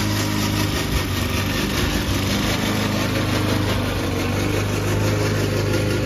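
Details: Old Toro Recycler mower cutting Kentucky bluegrass, binaural recording, before fix: small engine steady under cutting load with a constant clattering rattle from the dry drive system; the noise was later solved with WD40.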